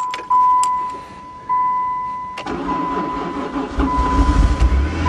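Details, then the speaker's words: Van started after a broken fuel line was fixed and it was fed from a gas can: a warning chime, then the engine fires at once and settles into an even idle, starting and running fine. "yes hahaha sounds like new to cool love it"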